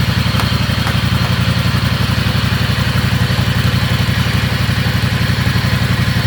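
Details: Riding lawnmower after fitting hydraulic brakes and shifter to its transmission, no noise from the setup; even single-cylinder putter about four beats a second, no grinding or drive whine: normal running.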